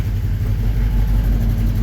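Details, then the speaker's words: 1954 Chevy 3100 engine at idle: low uneven lumpy pulse with occasional stumbles; owner says one cylinder isn't hitting, unsure which, suspects injectors at first, later finds injector working but a spark plug not sparking. "Yeah, we're not hitting on one of them. I don't know which one though."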